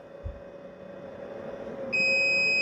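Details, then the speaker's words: Topbull 1000 W 12V DC to 110V AC power inverter powering a heat gun switched to full blast after running near 800 W; a steady high-pitched continuous beep starts suddenly and holds as the inverter trips on overload and cuts output. "Now If I kick it up one more, it's going to kick in full blast, and I'm sure it's going to trip it. So let's try it. And there it did. I knew it."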